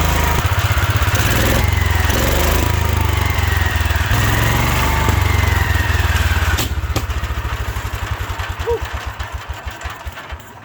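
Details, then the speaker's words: 1972 Wheel Horse Raider 12 lawn tractor, stored 15 years in a shed: fast loud single-cylinder thumping with sharp pops and surging revs, then slowing and fading; owner suspects dirty points for backfiring and a non-working governor for over-revving. "I don't know what the backfiring is about. Maybe the points are still dirty a little bit. Things run pretty good, but I don't think the governor's working like it should. So this revving up way too much."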